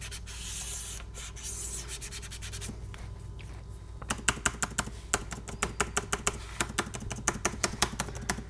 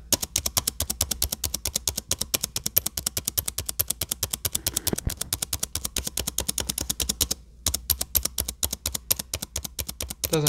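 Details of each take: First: Dell XPS 9570 spacebar after greasing fix for right-side squeak, mic near keyboard: crisp even clicks about three a second, no squeak or rubbing; quiet spacebar. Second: Dell XPS 9570 laptop spacebar clicked rapidly with mic below the keyboard; faint squeak on some presses from the right side of the key, left side fine. Fix attempted by prying the key up with a flat screwdriver.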